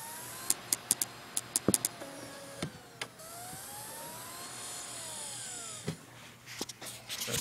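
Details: MacBook Pro slot CD drive copying a disc into iTunes: sharp clicks and a rough whir rising and falling as the disc spins and reads; it works but sounds bad, cause unknown.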